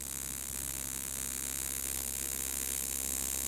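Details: Eastwood TIG 200 AC/DC welder TIG-welding aluminum with more pedal throttle as the puddle turns shiny: steady, even buzzing crackle over a constant low hum, with no sputter or breaks; a stable AC TIG arc running normally.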